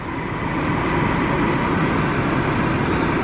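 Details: 2007 Chevy Impala 3.5 V6 after water pump replacement, warm at normal operating temperature. Smooth, even idle with steady loudness and no knock, tick or squeal; sounds healthy.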